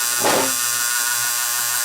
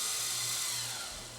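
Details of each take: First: Fostex D10 DAT deck with Error 02, tape inserted after reassembly: high motor whir about two and a half seconds, then sharp clicks; tape loading cycle never completes. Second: Fostex D10 DAT recorder after repair of its Error 02 fault: steady high-pitched whirr of tape spooling at full rewind speed, smooth and even with no scraping or stutter; normal rewind.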